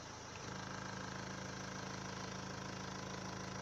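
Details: Renault Laguna 3 Coupé 2.0 dCi 180 diesel at idle; a fine steady buzzing rattle from loose dashboard trim comes back when the pressed dash is released, dashboard vibration rattle at idle, cured by wedging foam on each side of the dash.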